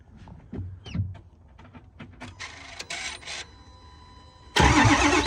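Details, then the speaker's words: 2008 Ford F350 6.4 Power Stroke diesel, 6-speed manual, restarted with intake pipe removed, check engine light on: clicks, crank, then loud harsh rushing roar from the open intake as it blows oil out rather than sucking. "It's blowing it out of there. Yeah. It's not sucking it, it's blowing it."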